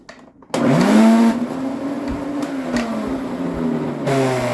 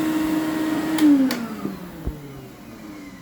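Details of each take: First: Motor of a 21-year-old Electrolux Epic 6500 canister vacuum starts up loud and harsh with a rough, wavering whine; the motor bearing is worn out and cannot be replaced, so the whole motor is replaced. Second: Electrolux Epic 6500 canister vacuum, about 21 years old, after replacing a motor whose bearing had failed: a smooth, even motor whine with no bearing screech, then a clean spin-down when switched off, like new.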